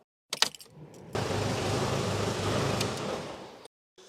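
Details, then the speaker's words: Jeep Cherokee XJ diesel, first start after replacing the 10-year-old timing belt kit, cooling system not yet refilled, no glow-plug preheat: starter cranks briefly, engine catches cleanly and runs smooth for a few seconds before shutoff; starts perfectly. "nickel bon là il te remet un petit peu parce que forcément j'ai pas fait le préchauffage mais ça démarre impeccable"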